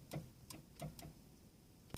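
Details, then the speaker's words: Western snow plow 12-volt lift motor at about -35 °C: sharp irregular solenoid clicks, about five in two seconds, but the motor does not spin and the plow will not rise; owner suspects the motor, later replaced. "Solenoid's working, but it's not working. The plow's not going up."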